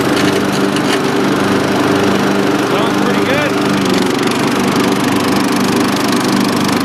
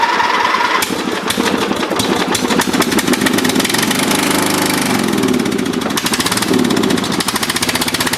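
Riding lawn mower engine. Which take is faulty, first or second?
second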